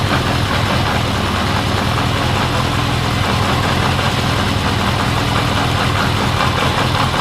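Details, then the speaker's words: 1979 Honda CB750 K four-cylinder after carb cleaning, rebuild, bench sync, then vacuum-gauge carb sync and idle knob adjustment: steady, even idle with faint lilt, no misfires; sync had been out, now smoother with slight cadence; normal idle. "that sounds pretty good all right so we synced it and it was out"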